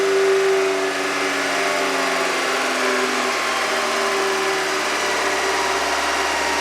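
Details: Car engine at idle after pouring Rislone engine treatment in while running to clean a tapping hydraulic lifter: smooth steady hum with no ticking; lifters now quiet, normal idle.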